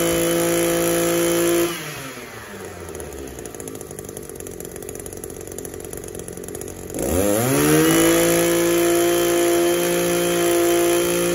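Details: Echo SRM-280 two-stroke trimmer after cleaning its clogged catalytic converter, warming up: idles better, then snaps cleanly up to a steady high scream without stumble or bogging; revs normally after repair.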